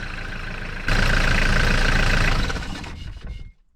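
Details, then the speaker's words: 1994 Mitsubishi Delica L400 PD8W, 4M40 diesel, freezing winter cold start over half a year after new glow plugs fitted; catches quickly and settles into a steady even clatter with no misses, healthy cold idle. "Yeah, Delica started right up, and it has been over half a year since I put in new glow plugs. Outside is freezing winter cold weather, and Delica starts like a charm."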